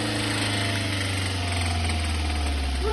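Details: Kia Venga 1.4 CRDi diesel runaway after turbo failure: engine roars on at a steady, strained pitch with the ignition off and keys removed, feeding on its own oil until it stops, destroying the engine.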